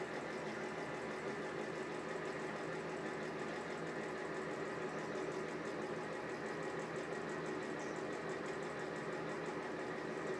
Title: Exhaust fan with bad bearings